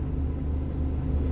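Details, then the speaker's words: Volvo FM13 Smart Eco 400 hp truck diesel, idle lowered from normal ~600 rpm to about 490–500 rpm: deep, slow, even rumble with no hunting or misfire; healthy low idle. "ประมาณนี้นะครับเกือบๆ500รอบเมื่อสักครู่นี้ผมรู้สึกว่าผมตั้งได้อยู่ประมาณ500นะครับ"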